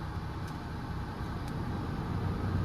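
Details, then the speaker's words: Warm Ford truck idling: a steady, even low rumble with no ticking and oil pressure showing. A normal idle, though oil pressure was lost again later while driving. "I mean, it sounds good. Sounds a lot better. I don't hear it ticking."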